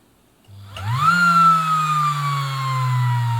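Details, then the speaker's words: Bernina Record 830 sewing machine motor on test after brush and capacitor check, run unloaded in a very short burst: spins up sharply to a high, smooth, steady whine, faster than designed because there is no load; healthy motor. "here there it's going very fast a lot faster than what it's designed to because there's no load here so you know a very short boost like that's probably okay"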